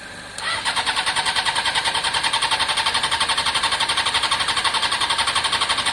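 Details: Honda CBR600 F4i, non-runner damaged in a collision seven or eight years ago, fuel-injected with suspected internal pump: steady fast cranking, under two turns a second, no firing or catch; engine spins freely but won't start, fuel likely not arriving.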